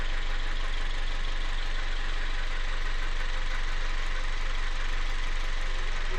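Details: Toyota 1ZZ-FE engine knock at idle; faint, fairly regular tapping about three per second under the engine note, cause not pinned down.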